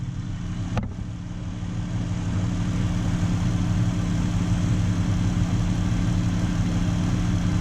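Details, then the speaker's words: 2013 Dodge Avenger salvage rebuild, engine started and settling to normal idle for an alternator check with no load, which read alternator good: smooth, even low hum at steady idle, no knocks, misses or whine; normal idle. "Alright, so just start it up. Now we'll wait for it to get down to its normal idle."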